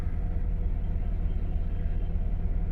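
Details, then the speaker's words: Ford Ranger, customer complaint of running badly, idling: low lumpy idle with skipping beat and heavy shake, a dead miss; scanner shows cylinder 4 misfire plus cam position sensor and MAF circuit codes, cause not confirmed. "but it is shaking pretty good. So it's got a dead miss."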